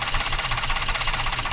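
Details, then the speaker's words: 2014 Ford F-150, 3.5 EcoBoost: lumpy idle with a repeating stumble and the engine shaking. The ignition coil connector was loose and was lubricated and reseated: cylinder misfire from a loose coil connector. "No, mira, está temblando el motor."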